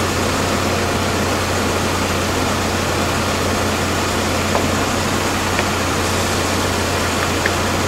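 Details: 2001 GMC Sonoma 2.2L with freshly replaced engine, warm idle after priming, temperature good, heater on: steady, even idle hum under loud heater fan rush, no knocks or misses; normal idle, engine sounds healthy.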